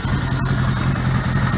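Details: 1977 Suzuki GS550 motorcycle, 24,000 miles, first start after two years stored, after the 2–3 minute warm-up it always needs. Steady, even, low throb with a regular firing beat and no misses. Normal warm idle.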